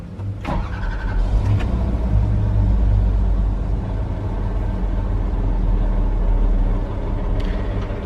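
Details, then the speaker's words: John Deere diesel with 6 new fuel injectors and a new transfer pump, with no muffler fitted. It cranks, catches and runs with a loud, even, deep throb. It settles into a steady, healthy idle. "all right we're gonna try to crank it here don't have no muffler on it right now so listen up"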